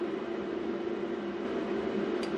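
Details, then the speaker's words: Hydraulic proportional valve solenoid for a bartending robot, overdriven with excess voltage: constant mid-pitched electrical buzz; it soon smoked and burned oil, owner guessing it was boiling the oil out. "oh yeah there we go you hear it buzzing let's give her a little more Jam oh maybe boiling the oil out of it or something"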